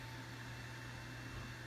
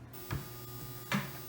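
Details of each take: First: Harbor Freight Centech power inverter, held near the camera, with its cooling fan spinning up. A steady, fairly loud whir with a low hum and a faint high whine. Noisy but normal. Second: Big iron-core isolation transformer, quiet on mains, run from a modified sine wave inverter: loud harsh steady buzz with coarse harmonic edge and faint clicks from the stepped waveform.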